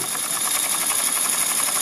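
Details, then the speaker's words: Mamod Quarry live steam locomotive (SM32, 16mm gauge), in steam; regulator opened to speed it up from super slow: rapid, even chuffing with hissing steam quickening; normal smooth running. "and here she is running super slow and as you can see super smooth"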